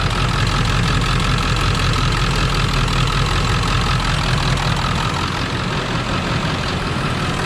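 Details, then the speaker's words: 1999 Ford F450 diesel service truck with service engine and battery lights: loud idle with uneven, lumpy pulse about 2.5 beats a second, wandering; running bad on a few cylinders, suspected broken valve cover harness/injector issue, unconfirmed. "but while it's running you can hear is running bad on a few cylinders definitely has a choppy ila sloping"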